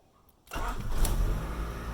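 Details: 1995 Honda Civic EX manual, 206,000 miles, in neutral with clutch down, started by turning the ignition switch with a flat screwdriver: brief crank, catches at once, steady even idle, showing the ignition switch was at fault.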